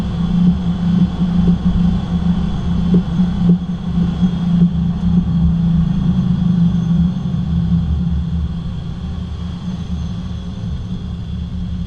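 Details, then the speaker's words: 2010 Cadillac SRX, about 107,000 miles: low rumble with dull clunks when steering left and right, diagnosed as worn stabilizer (sway) bar bushings. "it is exhibiting a knocking noise when turning left and right and I have diagnosed it down to the stabilizer bar bushings up in here"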